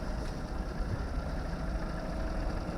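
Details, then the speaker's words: Ford Mondeo Titanium, 2.0 diesel, 150 hp, manual, heard with the bonnet open: quiet, even diesel clatter at idle with no knocks or misses, the engine ticking over nicely; normal diesel idle. "Zobaczmy jak bociany klekoczą oponki ładne tarcze Są też w ładnym stanie tak słyszycie klekocze silniczek ładnie"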